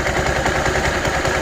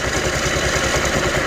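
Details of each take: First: Scooter idling: rough, gravelly rattle and grinding from the CVT caused by a dry drive belt; quieted by applying a little high-temp grease to the belt. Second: Scooter CVT idling after applying a little high-temp grease to a dry, rasping drive belt: smooth, even low pulse with no grinding or rasping, much quieter than before.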